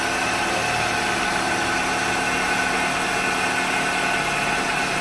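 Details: Chevrolet Onix engine idling in the shop while spilled oil smokes off the engine. Steady, even idle with a smooth hum and no knocks or misses.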